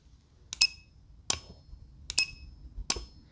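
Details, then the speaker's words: Automotive relay energized by a SigmaProbe circuit tester gives four crisp clicks about every three quarters of a second over the tester's beeping; relay switching properly. "hopefully you can hear the clicking of the relay over the beeping of the unit but there you go you can tell whether or not a relay is good or you can activate it to see if it's working"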